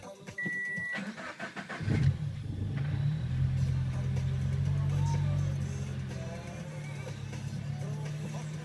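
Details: Engine with 1000cc injectors and E85 tune: short burst of cranking before it finally fires and settles into a steady idle; hard start.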